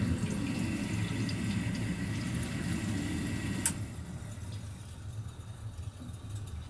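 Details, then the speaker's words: Gas boiler at a rental property, no-heat call, started after plugging in: steady low circulator pump hum with rushing water, then a click as the vent damper opens and the hum eases; normal startup. "circulated just ran looks like The Damp is turning the the vent damp is opening"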